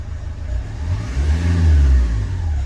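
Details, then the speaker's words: Renault Kangoo K9 diesel, accelerator pedal sensor channels both working on the scanner: revs rise smoothly as the pedal is pressed and return cleanly to normal idle without hesitation. When faulty, with the glow-plug warning lit, revs rose sluggishly and hung. "графіки у нас працюють обидва обороти машина [музика] розвиває в принципі плавниїк спускає І вертається до холостого хода до нормального холостого ходу"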